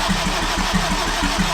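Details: Turbo AWD Acura RSX (DC5) on a standalone ECU, starter jumpered, TPS reading 100%: steady cranking about six compression pulses a second, never fires; crank no start. Owner suspects the ECU loses battery voltage while cranking.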